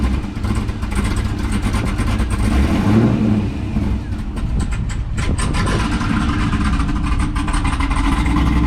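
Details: Chevrolet Corvette C5 V8 after headers, cam and heads install, first start: deep lopey idle with strong free revs rising and falling smoothly, no knocks or rattles; healthy, strong-running cammed engine.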